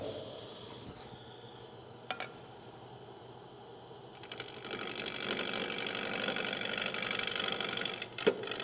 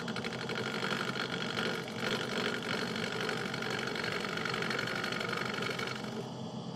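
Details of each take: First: Wood lathe turning an emerging bowl: fast rattling chatter as the tool meets gaps in the spinning blank, an interrupted cut, much louder than the later continuous cut. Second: Wood lathe turning an emerging bowl: even shaving hiss with a soft whoosh about four times a second, a gentle fine cut rubbing the bevel; clean cut with no chatter or catches.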